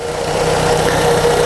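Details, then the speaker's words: Car at cold idle: thin chirping squeal flickering on and off from the small power steering belt, confirmed by spraying silicone on it; not timing, A/C or alternator belt; noise stops once engine warms. "o problema é só essa pequena correinha aqui ó uma das mais baratas do sistema beleza fácil de resolver né"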